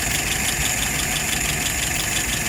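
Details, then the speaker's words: Restored, tested and adjusted WO 539S carburetor on a flathead, with no leaks: steady, even idle with busy mechanical clatter and no misses or surging; fuel pressure 2.75, vacuum 23; normal idle. "Alrighty, let's look at some numbers. Idle RPM right now is about 69700. Looking good."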